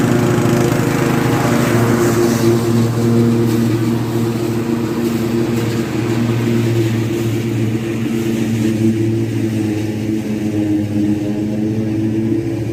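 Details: Restored Craftsman T100 riding mower after belt replacement: steady engine drone with an even, smooth deck hum and none of the earlier marble-like rattling; normal running.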